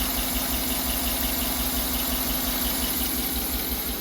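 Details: 2009 Tahoe, about 225,000–250,000 miles, P0300 misfire with low compression but passing leakdown, owner-installed spark plugs; uneven loping idle with a scraping tick that comes and goes, suspected lifter sideways scraping the cam; slight belt squeal too.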